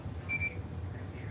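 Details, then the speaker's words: Roland BN20 printer printing 13oz banner: one short, clear high-pitched beep over low room hum, warning that the ink is low. "So the reason you guys hear it beeping right now is because my ink is low."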